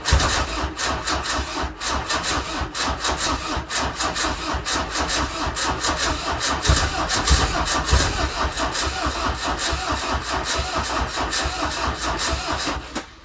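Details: Peugeot 205 diesel just after replacement engine fitted following broken camshaft, weak battery suspected: long cranking with rapid regular strokes, catching unevenly, never settling; hard starting.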